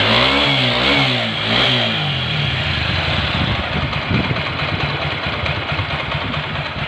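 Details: TVS Apache 4V motorcycle after tappet adjustment: a couple of quick revs, then an even, steady idle with no ticking from the top end. Clearances sound right, normal idle.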